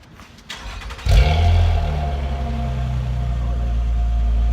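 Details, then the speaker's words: 2012 Nissan Maxima fired up after new exhaust installation that fixed a leak (it previously popped, leak from a loose single screw): catches, brief rev, then smooth even idle with no puffing, ticking or popping. "The rest of the exhaust is solid, so I'm kind of interested to see how it sounds without the leak."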